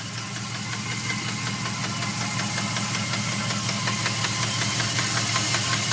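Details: 2002 Dodge Ram 4.7 V8: a loud, regular knock at roughly three beats a second over the idle, a deep internal engine knock; three mechanics say it needs a new motor, but the owner isn't sure of the cause.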